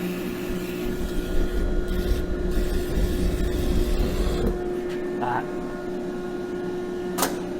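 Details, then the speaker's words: Natural-gas forge with blower and fire-eye UV sensor, at ignition: steady blower hum under a low burner roar that suddenly drops away about 4.5 seconds in; flame blew out, possibly from too much air, and fire eye cut the gas. Flame blowout. "Okay, it blew out. Get that. that we saw it start up lighting and then because maybe it had a little too much oxygen, the oxygen blew out the flame and then the fire eye detected it, shut off the gas."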